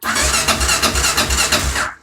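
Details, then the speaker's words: Kawasaki Tengai KLR 650 after sitting weeks, started once fuel tap opened to refill the carb bowl, whose fuel had evaporated: single cylinder fires quickly into a rapid, even beat for about two seconds, no stumbling or long cranking. "voilà normalement ça doit fonctionner 100% du temps à tous les coups si ça marche pas c'est que vous avez un autre souci comme toujours"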